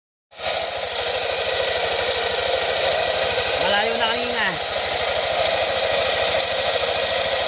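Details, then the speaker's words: Yamaha NMAX version 2 Y-Connect scooter at about 70k odo had a noisy engine traced to a broken pulley, not the engine. After the pulley repair it idles smoothly and quietly, with loud music in the background. "Papaalam na sana ako pero pina-testing pa sa akin. Ayan oh. Tahimik na."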